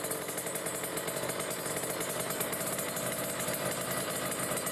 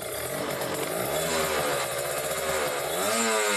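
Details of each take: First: Kawasaki Ninja RR two-stroke, Mikuni 28 carburetor, idling around 1500 rpm with the air screw fully closed: heavy, burbly, uneven idle, a rich mixture. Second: Kawasaki Ninja RR two-stroke, Mikuni 28 carburettor, air screw at two and a half turns out: crisp burble holding a steady middle idle speed without surging or hunting; mixture correctly set, normal idle.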